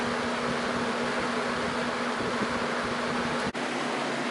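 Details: Junkyard Torcan box fan on high speed, blades not cleaned of dust: even, airy rush with a faint steady low hum and no rattle or ticking; quiet and running normally, though airflow is weak.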